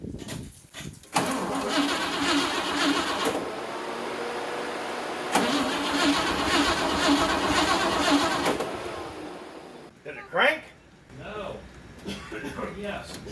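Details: 1957 Pontiac Star Chief Catalina 4-door hardtop, 347 V8, long-sitting, on new battery: starter cranks steadily about seven seconds, roughly two compression beats a second, never catches; cranks, no start, cause unconfirmed.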